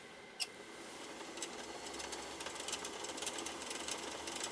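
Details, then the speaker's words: Singer sewing machine motor run with the clutch disengaged, no load, at full foot-controller pedal: thin, steady whir that never reaches optimal sewing-speed RPM; motor underpowered, possibly dry, casing to be opened for inspection. "that's definitely not full power i mean i'm i'm giving it full power with the foot controller"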